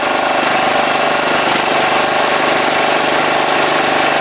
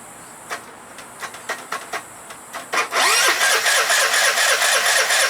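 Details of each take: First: 2012 Piaggio Typhoon 125cc scooter after carburetor float adjustment, air filter off: runs steady and even with a raspy intake note, no misfire or stumble; possible rich running still to be checked at the plug; normal running. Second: 2012 Piaggio Typhoon 125cc scooter, carb refitted with new fuel line and filter, jumper cables from another battery: slow, uneven starter cranks for several seconds before it catches, needing throttle to start; hard starting from incorrect carburettor float level.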